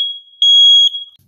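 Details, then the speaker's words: 120 V hardwired smoke detector, triggered manually, with the interconnect wire being removed so it acts independently: one loud piercing high-pitched tone about a second long, then silence. Alarm sounding normally. "when I set off the alarm you'll hear that simultaneously the alarm of the smoke detector downstairs will start to alert and sound as well"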